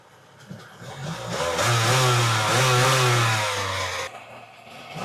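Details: Kawasaki 1100 STX jet ski two-stroke after carb ultrasonic cleaning, new fuel lines, dry-rotted oil injection lines blocked off, running on premix fuel: catches after short crank, revs crisp and buzzy, shuts off; starts and runs cleanly.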